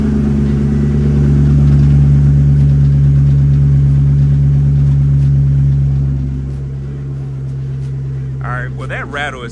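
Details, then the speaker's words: Supercharged Coyote-swapped SN95 Mustang, in park after transmission reinstall and fluid fill, first start: steady low idle drone with a faint tinny buzz riding on it, then dips; something rattling, owner doesn't think it's in the pan. "coming from something. Something's rattling. I don't think there's anything in the pan."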